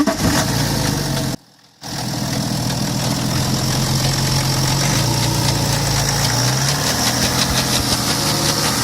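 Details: BMW 525d F10 with N57D30 diesel at cold start: idle with a steady rapid knock, roughly four a second, over an even clatter; knocking present, cause not clear.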